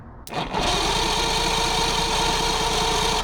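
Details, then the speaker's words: Mercury 115hp outboard on a 1969 Thunderbird tri-hull boat cranking over after plugs reinstalled; prior compression readings 135 psi across the board, 140 on the bottom; steady, even chuff about four per second, no weak cylinder: normal cranking with even compression. "135 across the board, 140 on the bottom. Well, probably number 5 cylinder, and it looks like they didn't get number 6 because there's only 5 numbers there. A little tight squeeze, you know. These look good enough to drop back in. And let's hear for that even compression."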